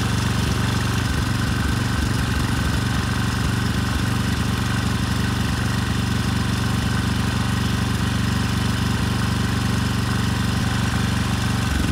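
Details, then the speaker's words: Rebuilt 10HP Briggs and Stratton Storm Responder generator engine (model 21T212-0116-G1), after a knock from an out-of-spec crankshaft, compression 60 psi, run outside at 2800 rpm: smooth constant fast hum, no knocks or hunting; running well. "so i'd call this one a win it took a couple tries but it's running well now"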